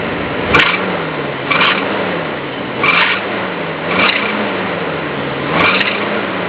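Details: 1974 Monaco engine: a high squeal that climbs with revs as engine speed is raised and fades at idle. The owner asks whether the alternator, water pump or compressor is the cause; a belt-driven accessory is suspected, not confirmed.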